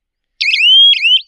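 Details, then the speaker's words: Solar fence energizer (zatka machine) protecting crops from wild boar: loud piercing siren sweeps up, holds and repeats when the fence wire touches earth at two points, as from an animal or grass; earth-fault alarm working. "ते बघा हे जे आहे ना हे चिटकलं दोन ठिकाणी earthing हे झाली की याचा आवाज जो आहे तो या पद्धतीने येतो. या पद्धतीने ह्याचा आवाज येतो आणि इकडे समजा काही जनावरची असेल किंवा इथं आर्थिंग भेटायली गवताची तर हे असा आवाज करतात."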